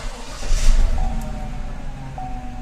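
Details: 2014 Chevrolet Silverado with an intermittent no-crank complaint (previously found a corroded run/crank relay; many fault codes) cranks briefly and catches quickly into a low, steady idle with no stumble while CAN network activity is scoped; the start sounds normal.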